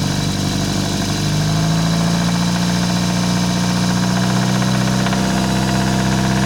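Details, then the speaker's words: Toyota 4A-FE engine: loud constant engine note with a faint uneven knock of about four per second that appears when revs are raised and on startup, absent at idle and when revs drop; cause unknown. "Нету стук. Обороты добавляешь, есть стук."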